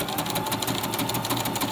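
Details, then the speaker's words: Brother LS14 sewing machine running fast, straight stitch on calico, with a needle deliberately blunted on cardboard: hard regular banging every stitch as the needle hammers into fabric, causing skipped stitches. "You hear that banging? That banging is the needle just sounding a bit blunt. Sort of hammering to try and get into the fabric."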